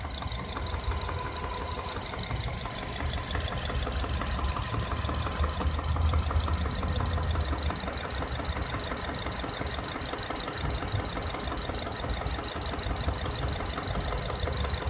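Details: 2011 Subaru Forester SH FB25, under 100,000 km, bought new and well maintained: light hollow plastic-like tapping steadily over idle from the cylinder 2 and 4 side; connecting rod knock.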